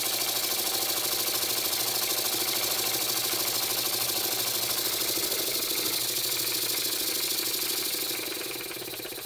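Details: Very old Stuart S50 steam plant engine, reassembled with a new valve rod and valve timing set fairly accurately. Steady, even chuffing at about two and a half beats per second over a bright hiss. Normal running with good power.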